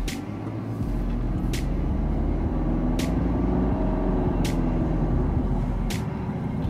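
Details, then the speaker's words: Deep steady road and engine drone as a Nissan X-Trail T32 accelerates hard after CVT overhaul for a whistling noise; no whistle or whine now, transmission normal. "Oke, se ini udah enggak ada siul-sian lagi ya dari transmisinya. Ini udah oke nih."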